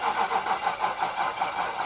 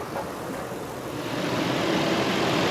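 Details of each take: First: Nissan Titan with rebuilt VK56 engine, first start attempt with fuel pump on, fuel lines just reconnected: starter turns about four even pulses a second for two seconds and doesn't catch; weak battery. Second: Nissan Titan VK56 V8 after a full rebuild, following a 50-mile drive with coolant never above 200°F and clean shifting: low, even, smooth idle with no knocks or ticks. Normal idle.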